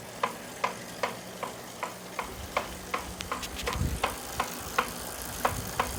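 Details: Saris H3 trainer: sharp, even knock almost three times a second over the trainer's low hum; unit was sent to Saris, who fixed it.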